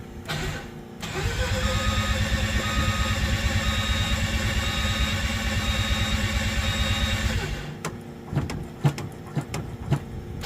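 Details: 13B bridgeport rotary in Danny's Corona, first start after sorting wiring, water neck and a no-spark problem, igniters on: brief crank, catches into a buzzy steady idle with a lift in revs, then shuts off.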